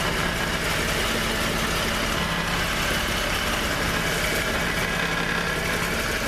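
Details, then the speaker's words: Jeep idling, heard from underneath: continuous tinny metallic jangling buzz over the hum, worsening since rear main seal repair; exhaust rattling against a skid plate bent during that repair. "okay we're up under here do a feed's job for him trying to figure out what the hell that rattling noise is it's getting worse it's getting scary"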